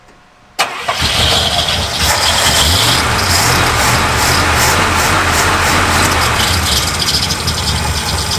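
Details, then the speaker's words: 1966 Cadillac DeVille V8 first started after about 30 years in storage, smoking with lean backfires: settles into an uneven, lumpy idle with a wavering beat and heavy engine shake, running rough and needing tuning. "I've never seen a motor vibrate like this"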